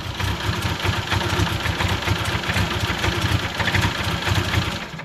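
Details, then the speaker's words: BMW E12 520 barn find, first start after bleeding air from the fuel system: low, uneven chuffing idle with a lumpy, irregular beat that never settles; running rough. "It runs. Not very well, but it runs."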